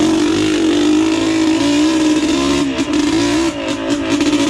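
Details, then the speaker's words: Yamaha Blaster two-stroke with minor porting, pipe and rejetting, ridden easy while warming up; crisp, steady high-pitched note with clean rises and falls on throttle, no misfire or rattle; normal running. "sounds healthy [Music] though I love that sound"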